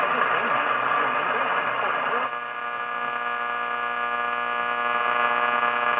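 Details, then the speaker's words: Restored Philco 38-7 radio, just after testing with an AM transmitter: steady hiss and low mains hum with a faint station barely breaking through. Weak reception, likely needing alignment. "i can kind of hear a station in there"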